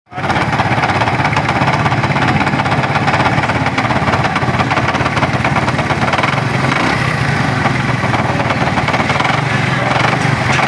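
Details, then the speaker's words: Honda CD 70 motorcycle idling with a loud, busy metallic rattle from the clutch box; loose clutch hub bolt. "आपने जो engine की आवाज सुनी पहले वो इस बाइक में क्लच बॉक्स की आवाज है।"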